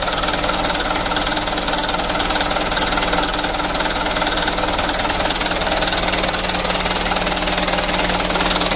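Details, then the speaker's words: Mitsubishi Canter diesel after injection pump plunger replacement and pump adjustment: even clatter at a steady idle around 600 rpm, no misses or surging. Normal idle, repair completed. "nanti kita lempengan sedikit lagi untuk rpm nya ini sudah bagus 600 kita coba lagi ya alhamdulillah mudah-mudahan aman dan lancar"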